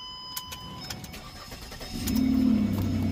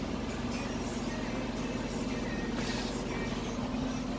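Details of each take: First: 2008/2009 Ford Escape starting: engine cranks and catches into a loud, blatty low rumble from a big hole in the muffler, before muffler replacement; exhaust leak. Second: 2008/2009 Ford Escape after replacing a muffler that had a large hole causing an exhaust leak, engine restarted: steady, even exhaust note with no blowing or rasping. The exhaust is sealed and quiet.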